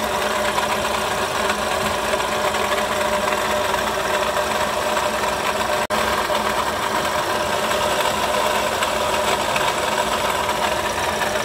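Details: Toyota Sienta idling, oil pressure indicator off and oil checked: constant gritty rasp at the front of the engine, no knock; harsh engine noise traced mainly to the water pump area, which was then replaced.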